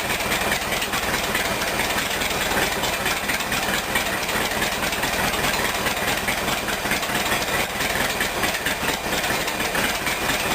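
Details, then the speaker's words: Rat rod engine idling evenly and steadily with a fast light patter under hiss, no misses or knocks, after a clogged fuel filter was replaced with a temporary plastic diesel filter; running normally again. "okay just to illustrate he's running now so I think problem solved"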